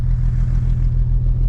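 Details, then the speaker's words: 1950 Dodge Meadowbrook engine with sludge from old oil, warming before oil drain, choke held closed by screwdriver: deep, steady even rumble, no misses or knocks, all cylinders firing; oil pressure 40, charging, normal warm idle. "But with the choke closed, it sounds like it's actually running pretty good. I think it's hitting on all the cylinders."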